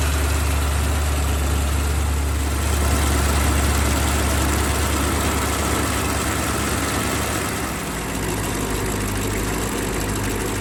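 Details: BMW X5 E70 engine idling with the drive belt removed: smooth, even V8 idle, front-of-engine rattle gone; the water pump pulley has play and its worn bearing was making the noise.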